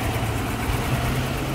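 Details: 2015 GMC Silverado towed in, stalling and running terribly, heard with hood open; heavy uneven idle with irregular low thumps and chuffing, a dead-cylinder lope, more than a misfire; rough running (owner suspected active fuel management).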